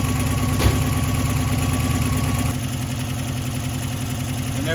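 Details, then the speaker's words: 1989 Subaru Brumby 1800 4WD flat-four, just after replacing both head gaskets in the car: engine catches and settles into an even, steady idle, running cleanly on all four cylinders again; normal idle. "Running on all four cylinders again."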